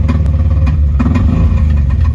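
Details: Ford 5.0 302 V8 idling with a sharp, uneven knocking tick, not a rod knock: an improperly installed roller rocker came off because the Allen key lock was not tightened enough.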